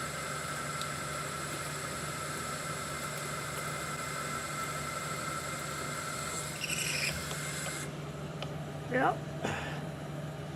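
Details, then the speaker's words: 1973 Hardinge chucker lathe cutting toward 2.5 in: steady low hum, faint high ringing and light clicks, no squeal; earlier cutting noise suspected from recutting chips, eliminated by a little lubrication. "Little bit of lubrication took that noise completely out."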